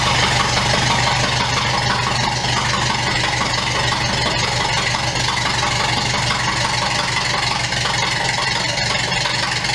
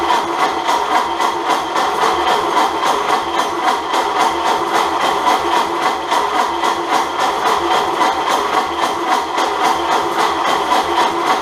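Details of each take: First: Unknown crusty donor engine in a 1929 Ford Model A doodlebug, first run bare-bones: steady even idle with busy mechanical clatter, no misses or knocks, little smoke; normal idle. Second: Bare-bones 1929 Ford Model A doodlebug fitted with an unknown donor engine: steady, even cranking at about three to four beats a second that never catches, not even on ether; cause not yet found.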